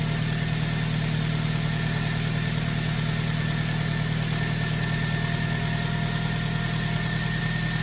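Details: 2008 Suzuki Grand Vitara 2.0 petrol (JB420, automatic), just started after an oil service: steady warm-up idle with a faint, quick light ticking early on, a lifter hanging briefly after start that should go away.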